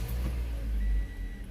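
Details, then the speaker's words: Toyota Corolla right after battery replacement, first crank after ignition-on relearn: the engine catches and settles into a steady, even idle without cutting off; no check engine light, the radio still works. "Okay, it didn't cut off. But that's it. I have no check engine light, as you can see, and the radio still work."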